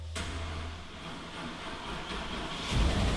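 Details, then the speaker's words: Flooded, wrecked 2014 Super Aéronautique 230 inboard surf boat after engine flushes, started with a homemade kill-switch extension. Uneven cranking churn for a couple of seconds, then a deeper roar as the engine catches and fires; cooling water starts coming in. "so let's hit the start button a little bit shaken here come on go baby go"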